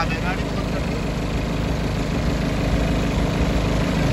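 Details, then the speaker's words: BMW at idle before repair: steady low idle with a coarse shaking drone; engine and cabin vibration from a broken engine mount, shown cracked, with some noise also from the air filter. "इसकी mounting खराब है दिखाता हूं मैं आपको वहां से phone डालो तो यह देखो माउंटिंग इसकी टूटी हुई है"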